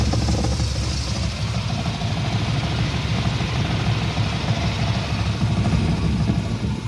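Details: First-gen Dodge D150 with the AC compressor bypassed by an idler pulley and a smog line disconnected: deep, uneven chuffing at idle that sounds like a knock. It is exhaust puffing from the open smog line.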